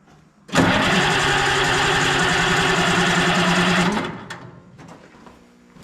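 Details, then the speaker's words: Oliver 77 tractor, points-and-condenser ignition, on a cold December day, usually starts easier: about three seconds of steady cranking, then cuts off without firing; owner suspects no fuel or spark, later refiles points. Cranks but no start. "I wonder if it didn't get any fuel. Oh, nothing's ever easy."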